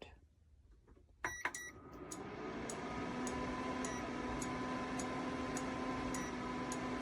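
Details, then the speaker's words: Vayepro 1800W infrared double-burner electric cooktop with a pan that is magnetic only on its bottom: short sharp beeps about twice a second over a low fan hum, with an error code. Pan not accepted. "It will not work on this at all. You will get beeping and an error"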